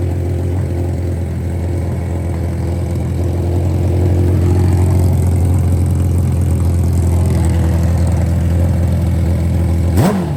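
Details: Barn-find championship NOS nitrous Hayabusa brought back to running: deep steady exhaust drone that swells a little as the throttle is blipped, then settles smooth and even; normal running.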